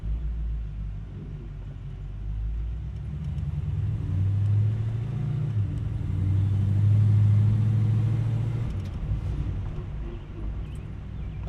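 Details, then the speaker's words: LS-swapped G-body V8 driving with a deep rumble that swells under load but sags flat in second or third gear; engine bogging, cause not identified. "I don't know if y'all hear that or not, but it balls down in like third gear or second gear."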